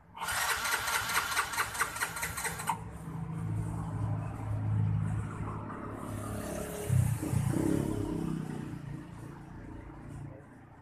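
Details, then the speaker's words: Yamaha Mio J fuel-injected automatic scooter, no start, no fault code shown: starter whirs steadily for a few seconds, engine nearly catches but never runs, low rumble after; fuel pump suspected, such damage attributed to low-grade premium/pertalite fuel. "mienya tetap tidak ada tanda-tanda Oh deteksi soal kerusakan jadi kita akan Oh istilahnya mencoba satu persatu mengecek Legends apa saja yang mengakibatkan motor Mio J ini posisinya tidak dapat dihidupkan"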